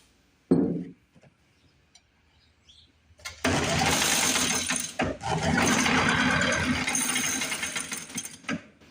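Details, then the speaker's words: 1950s Lawn-Boy bricktop two-stroke with low compression, points cleaned, on carb cleaner: quiet pulls, then catches and runs rough and uneven about five seconds before dying; fuel not coming through carburetor, carb may need pulling; runs only on starting fluid. "I don't know that we're going to get anything through that carburetor. Trying to make it suck through the carburetor with my hand. I don't want to run it off carb cleaner too long."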